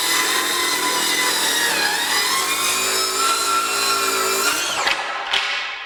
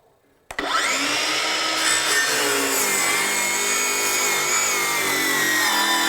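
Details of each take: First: Craftsman V20 brushless 7-1/4" circular saw CMCS550B with 6 Ah battery ripping 1/2 inch off a 2x4: steady high blade whine holding speed, no bogging or cutout, then spin-down; runs easier than with 2 Ah battery, which cut out. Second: Craftsman V20 brushless 7-1/4" circular saw CMCS550B on a 2 Ah battery ripping a 2x4: the high whine sags and wavers for about nine seconds, then stops abruptly as the battery cuts out.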